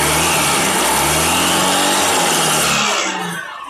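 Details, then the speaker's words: Honda Beat or Vario 150 scooter revved hard with a noisy CVT, worst when the engine is cold: rough, gravelly rasp over the engine that fades as revs drop, from the clutch housing; fixed by coarse sanding rather than grease. "menjelaskan suara vibel yang bunyi kresek-kresek pada beat atau vario."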